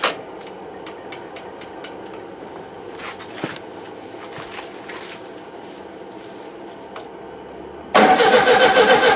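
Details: 1971 VW Super Beetle with freshly cleaned carburettor; long slow uneven cranking with no catch, then it suddenly fires loud; hard starting, owner suspects over-tightened idle jet with damaged seat restricting fuel, loosening the jet got it running.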